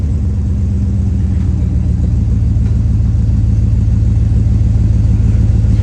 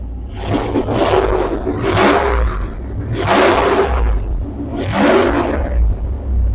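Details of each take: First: Healthy deep, steady idle rumble with even low exhaust pulse, no rattles, blowing or leaks on a 1999 Dodge Durango just after the worn-out muffler was cut out and replaced with a new glass pack muffler. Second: 1999 Dodge Durango running with the muffler removed, recorded on an external mic: deep, loud roaring swells on each throttle blip over a heavy rumble, the open exhaust sound before a new muffler is fitted.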